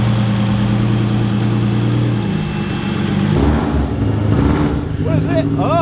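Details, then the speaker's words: Subaru WRX STI with EG33 flat-six swap, on the dyno with cooling system bled and idle brought down by the tuner: deep, even low rumble holding steady with no misses or hunting; normal idle. "It's idling way fucking better already."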